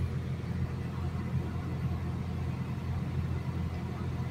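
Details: Mitsubishi Lancer Cedia automatic, which used to stall after starting and showed no check-engine light. After repair it idles smoothly and evenly at a steady 900 rpm with no knocks, ticks or misses, staying stable with the A/C switched on and off.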